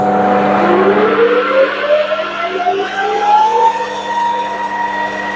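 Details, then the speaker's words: Lathe drilling while making a rivet dimple die: a thin squeal climbs in pitch with rough chatter underneath. The drill chuck was probably running too fast. "as you could probably hear there's a bit of chat there I'm probably running the drill chuck a bit fast I should have slowed it Down"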